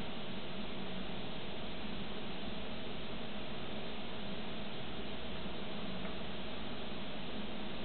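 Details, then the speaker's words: Xbox 360 console reading a game disc: steady low whir with a faint constant tone as the disc spins up, with slow loading. The drive is loud but this is normal for the console. "Mais bon c'est une 360, le lecteur il fait du bruit par contre."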